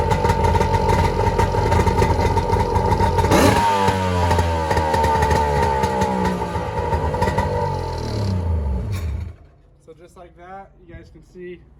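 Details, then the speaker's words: 1997 Polaris SLX 1050 jet ski, first run after an engine rebuild with new pistons: the two-stroke buzz climbs and falls through several rev sweeps, then cuts out near nine seconds; runs pretty good, though carb tuning may be needed. "to run pretty good we might have to do some cardboard but we're going to get on the water and see how it does"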